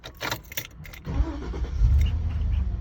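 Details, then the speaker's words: 2006 Chevy Silverado 2500 that cranked 5–20 seconds after refueling; after replacing the evap canister purge valve solenoid and filling the tank, engine catches within about a second and settles to a steady deep idle. "Oh yeah, much better. The evap purge canister was the issue."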